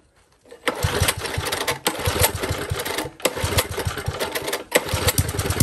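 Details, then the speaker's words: Old Tecumseh four-stroke edger engine runs rough, dipping and surging every second, sounding fuel-starved; lean running as the main jet is opened half a turn to pass more fuel and possibly clear a suspected blockage. "let's go half one loose and we'll just see if that looks a bit more fuel through and possibly past the blockage"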